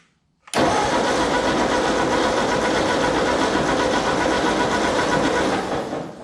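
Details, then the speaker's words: Ford 8N tractor cranking after parking in field and bending the ignition contact points: starter churns steadily about three pulses a second, then winds down without catching; plug laid out shows no spark, owner suspects points adjustment or a damaged coil. "nope all right we have no spark i pulled out the spark plug here and laid it on here and it's not sparky at all so there's definitely something wrong with the ignition obviously"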